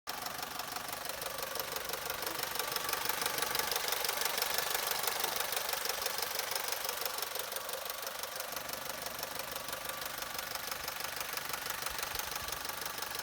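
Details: Opel/Vauxhall Corsa 1.2 Z12XEP 80 hp at idle: a fast, thin metallic rattle rides evenly over the idle at about three per second; timing chain noise suspected, not confirmed.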